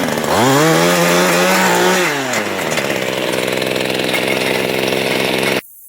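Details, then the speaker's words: Mantis tiller two-stroke after its old carburetor, which would not prime, was replaced with a new aftermarket one: it fires right up, revs briefly, then settles into a steady, even idle. Normal running. "this one here cost me eleven dollars put it all together and it runs right off the bat"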